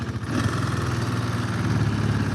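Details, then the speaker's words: ATV running well in yard test: revs stay up a little too long after throttle in a fast, even putter; owner plans a carburetor cleaning. Slight smoke that fades. "Stays up a little too long. We'll probably clean the carburetor."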